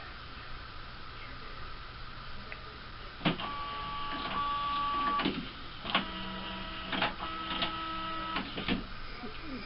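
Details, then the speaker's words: HP Officejet G85 after repair, cleaning the motor encoder disc and sensors: scanner head travels with smooth whirring, clean motor tones and soft clicks at stops, no grinding while copying; fixed. "The scanner head's moving around, not making any noise. And it's starting to copy."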